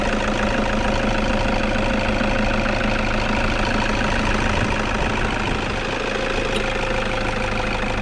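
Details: Toyota Vigo pickup idles with a steady rattling clatter and faint whine at the engine front from a failed alternator overrunning clutch pulley that spins freely and stops charging, triggering the battery light; fixed by replacing the pulley.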